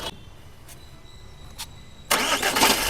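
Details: Jeep Compass: quiet ticking, then a harsh rattling burst right at the end of cranking as the engine catches; starting noise attributed mainly to the flywheel.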